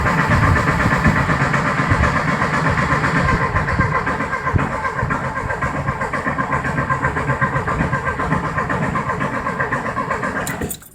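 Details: 1973 VW Thing engine parked since the early 1980s, first start attempt after plug wire swap, primed, valve cover back on: steady starter churning about four beats a second with no catch; cranks but won't fire, cause unconfirmed.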